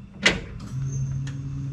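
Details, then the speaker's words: 1957 Chevy Bel Air with LS 5.3 swap and 4L60, key cycled after tune upload and setup wizard: click then steady low electric hum; normal fuel pump priming, which only starts after the wizard. "fuel pump kicks on uh so the fuel pump doesn't kick on until you do the wizard just so you know"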